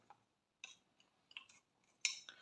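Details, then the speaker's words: ZAZ Tavria distributor with newly installed Hall sensor, shaft turned by hand: faint light metallic ticks and scrapes as the shutter cup catches the sensor despite repositioning; cup possibly deformed; Hall sensor rubbing on shutter cup. "тобто смисл у тому щоб виставити його таким чином цей датчик щоб він не чіпляв за чашку все одно мене чіпляє"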